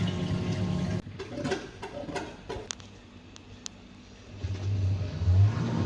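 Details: Fisher & Paykel direct-drive washer motor that had metallic grinding and no wash or spin, tested after part replacement: low steady hum, light clicks and water slosh, no grinding; running normally.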